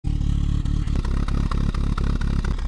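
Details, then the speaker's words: Chevy Corsa/Opel engine running rough and unstable, lacking power, with exhaust backfiring: lumpy running with sharp pops four or five times a second as a cylinder drops out. Code P0201 indicates a cylinder 1 injector circuit fault. "Aparentemente puede ser una pérdida de chispa pérdida de combustible algún inyector algún cable de bujía alguna bujía el mismo cilindro que no esté trabajando"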